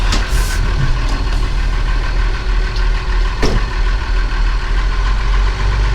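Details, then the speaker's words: Steiger tractor diesel idling in the morning before planting barley. Rough, uneven tick over the low rumble; ticking heard, source unclear. "I think this is one of those audio tacos you can hear it ticking"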